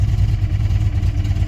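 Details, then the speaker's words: 1994 Chrysler Town & Country pulled from a scrap yard after years sitting, first start: deep, lumpy, uneven throb and smoke with a sweet smell; owner suspects head gasket or a bad motor, cause unconfirmed. "Runs like... I think she's bad. I don't think the motor's any good. That don't sound very good to me."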